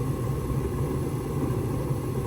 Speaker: now you can see the ignition coil is cooling down and the fan kicked on, and so this furnace is running perfect. This is exactly how it's supposed to run.